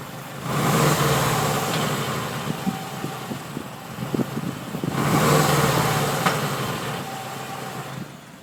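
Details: Subaru WRX: two short engine revs, each bringing a thin whine above the engine note. Spraying WD-40 on the pulleys made it come and go while driving. Engine whine, cause unconfirmed.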